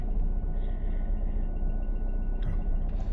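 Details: Toyota MR2 during replacement of the right-hand (passenger) engine mount, with the jack being lowered off the engine. A low, even idle rumble with a couple of handling knocks; vibration is reduced but some remains, suspected from the left mount.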